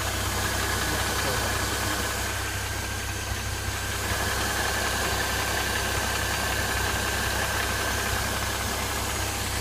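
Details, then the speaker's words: Mercedes M272 engine at idle, hood open: runs smooth when cold, but once warm a light, regular metallic rattle of about 160 per minute appears, seemingly from the left side and somewhat diesel-like; source not identified. "Сейчас, когда он прогреется, начнется этот шелест. Такой что-то типа тарабанит, такой металлический должен быть."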